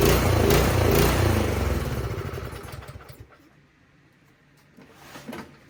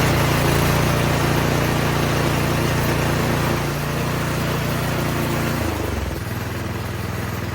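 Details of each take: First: 208cc Troy-Bilt snowblower engine: pulses unevenly, loudness hunting up and down, then sags and dies; surging idle from a dirty pilot jet, fixed by carburetor cleaning. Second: Troy-Bilt 208cc snowblower after carb cleaning of a dirty pilot jet that caused surging idle and dieseling: steady, even putter holding speed without hunting, then settles lower before shutting off; idle now smooth, no surging.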